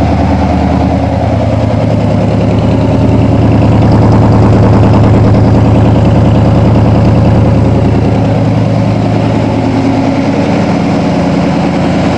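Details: 1987 Toyota Supra MKIII with 350 Chevrolet Vortec V8 and 700R4, restarted after fixing firing order, timing, distributor cap and valve lash, exhaust loose on manifolds; deep, steady V8 idle, even low rumble, raspy exhaust note, no misses or knocks; normal idle.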